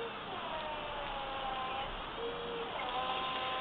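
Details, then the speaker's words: 2005 Toyota MR2 electric power steering pump fitted in a 1966 Ford Fairlane front wheel well: smooth, quiet motor whine, pitch stepping up and down with load, nothing rough or grinding; runs fine. "i'll turn it on you can hear how quiet it is okay i'm gonna turn it on there it goes super quiet"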